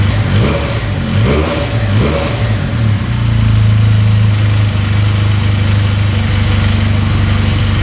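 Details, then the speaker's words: 2022 Benelli 302S motorcycle after a simple fix, idling at 1700 rpm; a few blips then a clean, steady rev with smooth pitch, no top-end knocking, bottom end sounds good. "No knocking in the top end. Bottom end sounds good. Alright, will it rev out though?"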